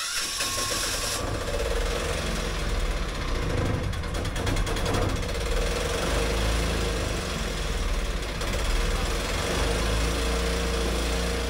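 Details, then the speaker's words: Boat diesel engine just after bleeding injector lines, temporary bottle fuel return: runs rough with RPM surging up and down from air in injector line; runs clean once air clears; some exhaust leaks. "You can hear it running a bit rough and it's pulsing up and down in its RPM. It's mainly air in the injector line. As soon as that goes, the engine runs clean."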